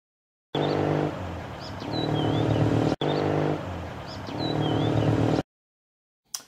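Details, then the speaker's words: Zundapp boxer twin on the road: revs rise and drop between shifts with clunks as gears bang in, a dragging clutch that isn't separating fully; feathering the shift or letting revs drop reduces it. "okay so we heard how um when you're changing gear there it bangs into gear and you can obviously minimize that by feathering the gearbox if you want to"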